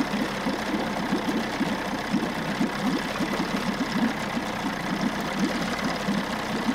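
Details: 1994 Johnson 6 hp two-stroke outboard bought at auction, idling with the thermostat removed, running much cooler and pumping good water. Quick, even putter with steady firing, no misses or knocks. Normal running; new thermostat to be ordered.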